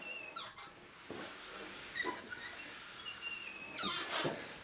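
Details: Swardman Electra 2.0 mower drive roller: sharp high squeaks in short bursts when the roller is turned, coming from the roller's differential.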